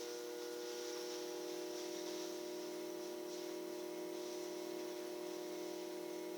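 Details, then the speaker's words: Promethean EST-P1 projector making an unusually loud noise when switched on: a steady, loud drone with a strong mid-pitched tone and airy hiss while running. "Promethean EST minus P1 or something like that, and making unusual loud noise when switched on, as can be heard now."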